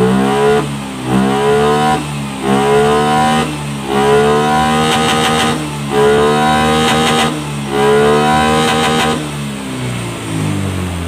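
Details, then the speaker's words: Honda Scoopy FI injection scooter after full service, CVT upgrade and setting, previously late throttle and sluggish pull: several quick blips rise cleanly and promptly with no lag or stumble, then settle; throttle response now normal. "Oke, sudah responsif. Oke, sudah saya perlihatkan tadi ya, sudah tarikannya sudah responsif ya."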